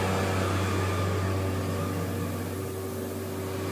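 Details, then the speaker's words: Vacuum suction pump for a CNC router's hold-down, started after its oil levels were checked: a loud, steady low hum with an even drone and no knocks or surges; it runs normally. "and since it is noisy we can close this door since the vacuum machine is noisy we can close this door as of now"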